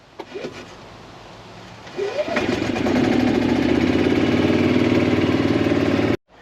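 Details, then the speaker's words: 2016 Yamaha petrol golf cart, starts slowly, sometimes not at all, very slow when floored: sluggish drawn-out cranking for a couple of seconds before catching and settling to steady idle; weak battery dragging the starter. "so if I try to give you the symptoms it's a little slow to start sometimes won't start at all and if you floor it very slow to start"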